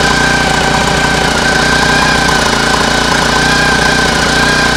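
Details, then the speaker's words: Homemade air-cooled outboard built from a lawn mower engine, run out of water at cruising throttle: steady even drone over loud prop water splashing, no knock standing out; owner notes occasional slight misfire and fears howling may be bearings. "I think it sounds like that's that's an an okay throttle for for much for cruising speed it sounds quite okay"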